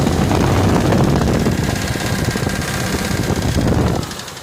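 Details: Ford F150 4.6 2-valve at idle, timing chains just replaced: loud fast rattling knock about four per second, sounding like lifter/lash rattle, but valvetrain was quiet with cover off; owner suspects rod bearings.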